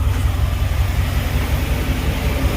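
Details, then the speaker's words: Chevrolet Caprice (box Chevy) LT1 V8 idling after an exhaust leak repair with RTV sealant. Deep, steady, even rumble with no ticking or puffing, sounding way different than before; the exhaust leak appears fixed. Normal idle. "Oh yeah, it sounds way different. I can tell. I don't know if y'all can tell, but I can tell definitely."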